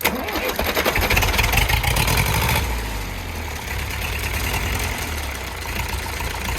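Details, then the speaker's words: Perkins 4.248 four-cylinder diesel on test, oil pressure normal (3 atm idle, 4 at revs): catches and settles into a lumpy, uneven idle, missing on one cylinder; suspected faulty injector nozzle or low compression in a cylinder. "але є проблемка з двигуном Він працює не чисто А підтроює"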